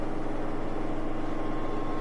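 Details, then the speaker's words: Whirlpool direct drive washer with a won't-drain complaint, drain and spin test: steady low hum with a soft, even pulse and no banging or knocking; suspension springs compensating, drum spinning balanced. "Sometimes these can break and then the machine will really act weird during spin. But right now it's doing really good. It's able to compensate."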